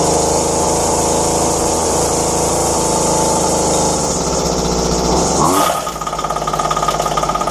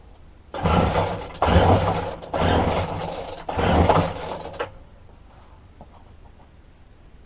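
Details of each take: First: Dumped McCulloch strimmer found by the roadside: after replacing only fuel lines, cooled and lightly choked, the small two-stroke screams at high revs then drops to a steady, even burbling idle; runs healthy, normal idle. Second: Roadside-dumped McCulloch two-stroke strimmer with broken tank-to-carburettor fuel line, fuel poured into the spark plug hole: fires and buzzes in short bursts for about four seconds, then dies from fuel starvation.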